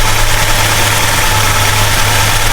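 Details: 1969 Plymouth Road Runner 440 V8, first run after 20+ years sitting, temperature just coming up: steady deep rumble, even with no knocks or misses; normal cold idle.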